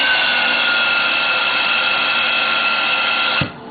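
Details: Electric player piano vacuum pump at full blast producing 60 inches of water vacuum, simulating heavy leakage: loud steady rush of air with whistling tones cutting off sharply; noise is air crossing the turbines, not the pump itself.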